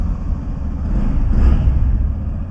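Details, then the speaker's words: Used single-cylinder motorcycle at a second-hand bike shop, starts on the first press of the self-starter: quick catch, then a low, even idle with no knocks or misses; normal. "কোন কথা হবে না দেখতে পাচ্ছ এক সেলফে কিন্তু start start করছে দাদা যেটা ইচ্ছে দেখুন"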